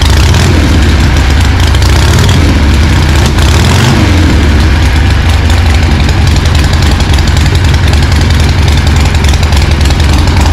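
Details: 1974 Harley ironhead chopper, unrun 15 years or more, carb swapped to a Super B, no exhaust pipe: loud, uneven V-twin lope at idle with irregular firing beats, running but not settling. Cause suspected, not confirmed.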